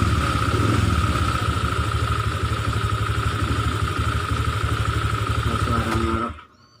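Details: Honda Vario 125/150 scooter idling: steady high whirring hum with rough snoring scrape until it cuts off; radiator cooling fan rubbing on its cover.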